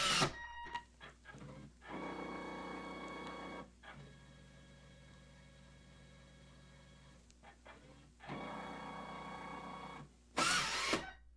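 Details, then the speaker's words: Ditto tape backup drive on an IBM PS/2 Model 30 286, cartridge placed in the drawer and closed; whirring and clicking bursts as it loads, then quiet hum, scary sounding but normal. "And close it up. Kind of scary sounding, isn't it?"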